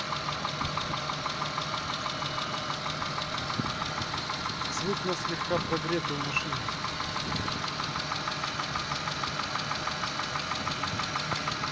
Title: стук двигателя на теплую 6a13